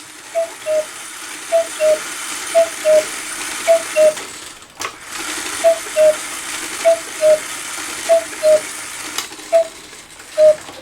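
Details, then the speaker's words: Circa-1900 Rail Road Quail cuckoo clock that stopped cuckooing: paired light ticks about once a second with a small pop after each. The cuckoo-side lever is stuck and not lifting high enough to rest on its wheel, which the repairer calls a timing issue. "Now you see this didn't come up all the way, it was stuck in there, so that's what my ticking was, we'll say, or popping noise."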